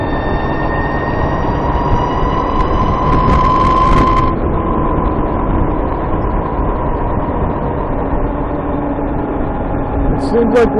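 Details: VX1 warmed up, climbing a hill at lower speed under load: thin steady high chirp over engine and road noise. Suspected transmission chirp, louder once the transmission is warm, starting around 30 mph. Cause unconfirmed.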